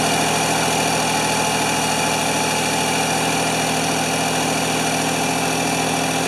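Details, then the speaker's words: Ford 2600 tractor at first start after oil was put in the cylinders for worn rings, smoking heavily: dull, uneven idle about three beats a second, hunting and stumbling; fuel is present, compression doubted. "wanted to quit this is kind of what it did last time do we run out of compression"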